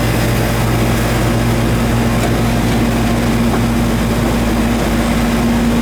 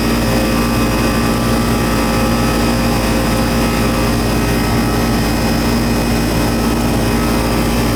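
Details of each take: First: Goodman outdoor AC unit with the condenser fan not running and a puffy capacitor: the compressor runs with a steady, loud low hum and a rough, rattly edge; noisy compressor. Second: Old Goodman AC outdoor unit running after the thermostat was turned down, with a puffy, swollen capacitor and the condenser fan previously not running: loud steady drone, constant low hum, even fan rush; compressor noted as somewhat noisy.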